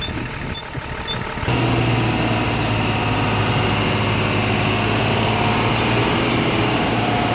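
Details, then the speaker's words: Tata 2518 BS4 tipper diesel, previously knocking and blowing black smoke; after fitting the replaced injector and restarting, the knock is gone: steady, even idle with a regular low rumble, no knock or stumble. Normal idle. "Raw number का injector fitting कर दिया हमें और fitting करने के बाद गाड़ी start किया हैं यह तब तक का आवाज बंद हो गया है"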